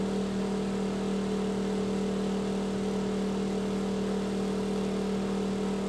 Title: Noisy Exhaust Fan